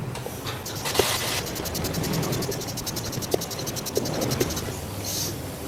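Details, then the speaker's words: 19-litre water pump pressure tank, overfilled with air to find a leak, no pump running: steady faint hiss under handling clicks; air leaking from the tank. "nah udah mulai bunyi bocorannya Nah kawan-kawan bisa dengar ya belum saya Celupin udah ketahuan ada bocornya"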